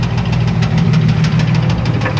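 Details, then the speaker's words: 1994 Chevrolet Astro van, idling: deep rapid knocking over steady idle, persists with belt on or off, so internal. Cause unconfirmed; plans to pull upper plenum to reach balance shaft and check oil filter for debris. "making that clunking noise with the belt on or belt off doesn't matter so I'm going to pull the upper Plum and get down to where the balancea shaft is"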